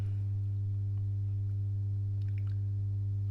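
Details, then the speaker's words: Masco M25N valve amp, poorly re-capped: loud steady low buzzy hum, which drops when a test cap is bridged on; confirmed lack of smoothing, mains hum from insufficient filter capacitance. "that's definitely the uh capacitance home so lack of smoothing on there"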